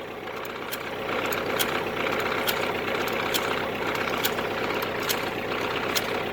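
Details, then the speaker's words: Used tedder driven off tractor PTO at low rpm on first startup; sharp, slightly uneven ticks about four a second as one bent tine catches a tire each rotation. "that noise is that one time's catching a tire because it's bent."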